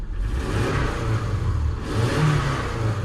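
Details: Ford F450 V8 revving cleanly after misfire repair (misfires on cylinders 1, 2, 3, 4, 6 and 8 had triggered the engine light when it rained): even deep rumble, no stumble or popping through the rise; scanner still shows misfire codes.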